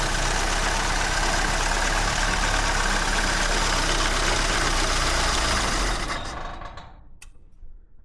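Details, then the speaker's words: Fire-damaged 1969 Ford Escort MK1 van, crossflow engine, very cold, dislikes choke, timing possibly out: busy, fairly even idle for about six seconds, then sags and dies. Stalling at cold idle, cause unclear. "Time is out a bit, I think. Let's give it a bit that way. Well, it's very cold, but it don't like choke, so"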